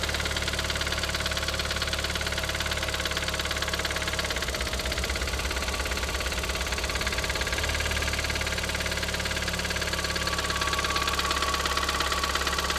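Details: Audi TT 225 hp BAM engine at idle with a steady metallic clatter about three beats a second, still present after replacing lifters, chain tensioner and full timing; compression test gave 6.5, 8 and 10 bar on cylinders, cause unresolved.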